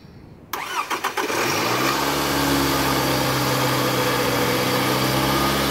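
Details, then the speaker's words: 2010 Scion xB with fully charged battery, multimeter on battery during cranking: a few quick, even cranking turns, then a fast catch into a smooth steady idle; voltage stayed above 10.98 V, battery good, though alternator found not charging. "so we noticed it didn't go below 10.98 that's a good sign we have a good battery"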